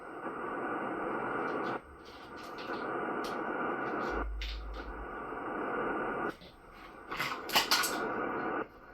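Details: Ham radio receiver picking up a steady hiss and buzzing across the band that cuts in and out, blamed on a Ryobi charger radiating interference through the electrical system; noise persisted after disconnecting the charge controllers, and the owner also suspects the neighbours.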